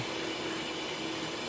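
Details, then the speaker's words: Vehicle with P0174 lean code: constant airy hiss of air escaping at the EGR base, tube or EGR itself uncertain, vacuum leak found by smoke test. "I can actually hear it so I can hear the air pissing out and it appears looks like the bottom of that uh EGR I don't know if it's a tube or the actual the base of the EGR"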